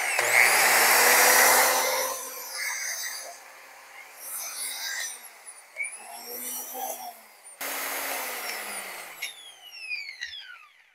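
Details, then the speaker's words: Well-used DeWalt die grinder after cord repair; spins up with a rough, rattly high whine that sags and winds down, from a worn top bearing. "I think you can hear that bearing is no good"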